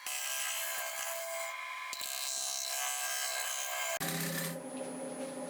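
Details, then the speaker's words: Wood lathe near 800 rpm turning a natural-edge bowl, gouge meeting the uneven bark rim: harsh scraping cut with sharp irregular knocking and chatter on the interrupted cut. "Like I say, that bit of knocking and chatting you can hear. So obviously as I'm coming in there, it's there, it's it again, it's there."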